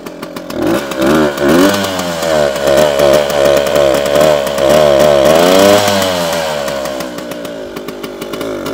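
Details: 1973 Jawa 50/21 two-stroke runs rough with revs hunting up and down about every second; owner suspects an air leak (false air).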